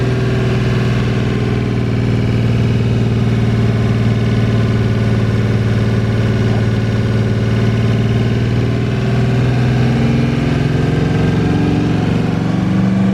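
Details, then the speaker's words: 1982 Chevy G20 3/4-ton van, 350 small-block V8 with new cam, heads, intake, carb and headers, idling right after the cam break-in runs at 3000/2200 rpm: deep, choppy, healthy lope, smooth with no knocks or ticks. Normal. "The engine's got some snap to it. Got a really healthy lope at idle."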